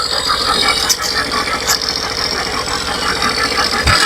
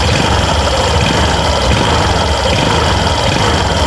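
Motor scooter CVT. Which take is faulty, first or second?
first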